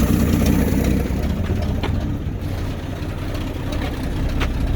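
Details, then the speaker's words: 1979 AMC Jeep J10 with 258 inline-six, revived scrap truck: first successful run, choke coming off; steady, even low idle with no misses, knocks or ticks, oil pressure present, fuel line leaking. Normal idle. "Wow, it's running like a top. Got oil pressure too."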